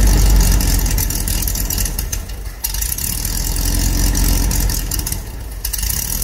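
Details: Air-cooled dune buggy engine just remounted to cure motor hopping: idles unevenly, beat surging and sagging with light chatter; rough running, carburetor suspected, front transmission mount possibly also to check.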